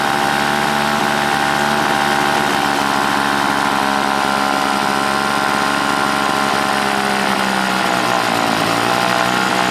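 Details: Old Toro S-200 two-stroke snowblower, hard to start cold, after carburetor cleaning (diaphragm once replaced): high revs hold fairly steady then sag and drop in pitch, surging as if starved for fuel despite a full tank; primer sounds gasless. Cause unconfirmed.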